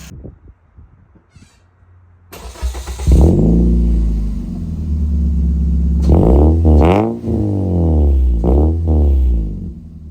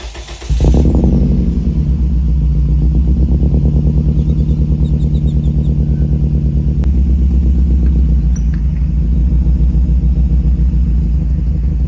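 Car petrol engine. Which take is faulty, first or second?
second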